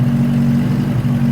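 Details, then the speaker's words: 1963 Nissan Junior ute, sat 15 years, after freeing the throttle cable: low steady idle drone that dips and wavers slightly, temperamental and unsettled rough idle. "Alright, she's not idle, a bit temperamental though,"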